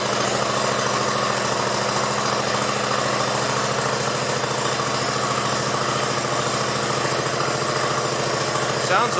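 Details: 1969 Sunset Orange Patio tractor after rear end fluid change: steady, even single-cylinder chug at constant speed with no knocks or misses; runs smoothly.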